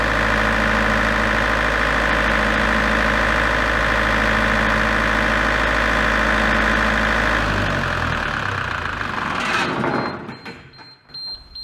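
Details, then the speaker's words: Large diesel generator set from auction, started in manual mode: a steady, even low drone for several seconds, then it winds down on a generator under-voltage error. "right so what was it running for a few seconds and now it's going along seeing Jen under voltage so I think that's the error we was uh talking about"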